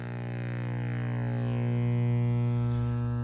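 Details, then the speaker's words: Philco Model 46-1203 radio-record player, just acquired, first power-on: lights up but gives a steady low buzzing hum with even overtones, no program; owner suspects the capacitors. "It does light up, but makes a humming sound, which we probably know it's the capacitors."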